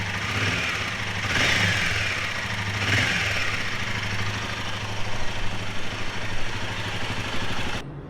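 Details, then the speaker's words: Himalayan 450 Sherpa single-cylinder idling, with the timing chain tensioner being swapped as a possible fix: a light, quick, steady ticking from the top of the head. Owner suspects the valve train and valve shims; the head has not been opened or checked yet. "Top of the head makes a ticking, and that is clearly that would be clearly the valve train business."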